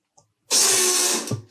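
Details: Ariel Atom replica after fuel rail leak rewelded, fuel pump run to build rail pressure, which holds at 3 bar with no leak: sudden steady high-pitched buzz for about three quarters of a second then stops; normal pump.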